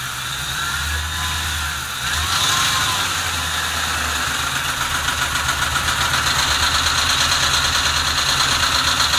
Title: Mustang GT 06 rough idle after warm up